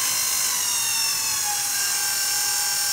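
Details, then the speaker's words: Brand new Regency i1500 wood burning fireplace insert, first small break-in fire, stove warm, blower switched on: constant high-pitched whine and hiss with no low rushing air; owner suspects bad bearing in the electric blower motor. "there's no way that a brand new blower should make noise like that so it sounds like a bad bearing or something like that in the electric motor in there"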